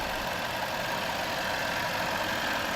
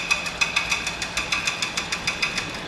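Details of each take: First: Land Rover Range Rover after repair, engine started: steady even idle with no clicking; the earlier knock-like clicking came from the coupled fan blades striking a metal clamp on swapped-around water hoses, fixed by swapping the hoses back. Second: Land Rover Range Rover at idle: sharp, steady clicking about six a second that sounds much like engine knock but does not come from the engine; a local shop nearly overhauled the engine.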